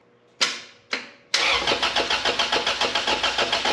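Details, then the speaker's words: B20-swapped 1992 Honda Civic EG hatch on P06 ECU, first start after swap, parked 5-6 years, ignition bypassed; two quick starter bursts, then catches into quick even pulsing run; normal start and run. "Mind you, this is on a P06 ECU, so. But it runs."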